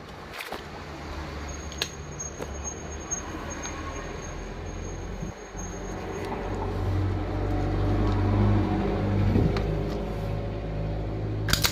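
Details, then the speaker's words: Isuzu starter from a jeep on the bench, after repair of a starter that only spun without engaging, traced to a broken fork: it spins up with a low hum that swells and settles evenly, with no free-spin whir, and the pinion engages properly. "yun sumisipa na tigan niyo Di ba"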